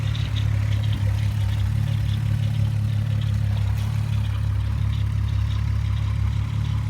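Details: 2001 VW Golf GTI VR6 with cylinder 3 misfire at idle, spark plugs just replaced: steady low idle with faint uneven stumble and light clatter; sputters and loses power under load at 25–45 mph; owner suspects coil pack or timing chain tensioner.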